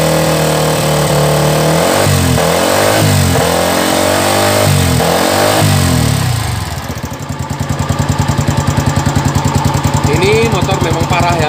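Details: Old Yamaha Vixion restarted after flushing water-contaminated grey, milky oil during a water pump seal and bearing job: rough, uneven knocking beats through idle and revs, harsh and loud; a serious internal engine knock of unknown cause.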